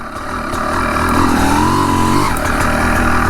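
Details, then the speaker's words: 250 CR two-stroke enduro bike, being run in, with an ever-present thin engine whistle climbing slightly with revs over the buzz; owner once suspected connecting rod bearings but it persists when like new; cause unconfirmed. "Sifflement du moteur, c'est assez caractéristique. J'ai tout le temps eu."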